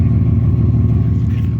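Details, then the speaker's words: Nissan Maxima idling just after an upgraded fuel pump replacement: smooth, even low rumble with a steady pulse and no misses or knocking, good oil pressure, running better than before; the new pump has a slight high-pitched whine. "Definitely sounds better. Okay, we got good oil pressure. Nice. Seems to be doing all right."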